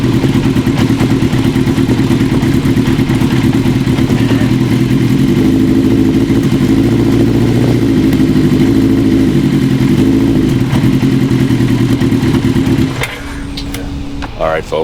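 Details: 1980 Kawasaki KZ750 at idle: lumpy, uneven idle that hunts and stumbles before shutting off. Carb boots softened with wintergreen still leak air at the manifold. New boots are needed.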